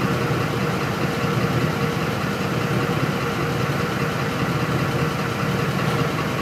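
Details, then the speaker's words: 2004 Ford F-150 5.4L V8 that stalls when hot (pump and rail pressure sensor already replaced, codes P0191, P1233): uneven stumbling idle; fuel starvation from faulty, corroded fuel pump driver module. "fuel pump driver module faulty runs like crap I'm going to hit the gas yeah fell flat on its face"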